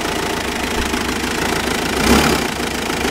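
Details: Mitsubishi Pajero starting and idling rough: uneven, lumpy idle with a pulsing beat and a brief stumble. It smooths out with some rpm, with only an occasional hiccup; cause unclear.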